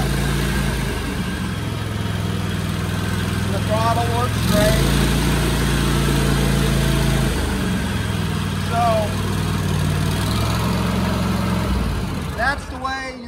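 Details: Cub Cadet mower with Kohler engine that would not start cold without starting fluid, after fixing the choke linkage so the choke fully engages, started on full choke; fires and settles into a smooth, even low drone, clean speed steps, no misses or knocks.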